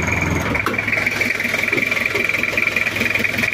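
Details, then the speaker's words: Toyota Kijang diesel, recently bought, cold idle: sharp fast metallic rattle over diesel clatter, rising with engine speed; owner thought valve clearance, but the mechanic traces the noise mainly to the injection pump boss. Diesel injection pump rattle. "bahwa bunyi asal itu dari bos pom jadi Orangnya sudah kita kasih tahu e pengertian dan kasih paham akhirnya orangnya mengerti dan tahu sendiri kalau penyebabnya besarnya ada di Bos pom"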